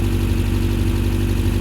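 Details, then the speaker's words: 1979 Subaru GL wagon started after sitting about a year without starter fluid; even, low, steady idle like a sewing machine, smooth unbroken rhythm, no knocks or misses, normal idle. "making all those nice sewing machine noises we didn't even have to use our starter fluid I cannot believe that wow she runs really good"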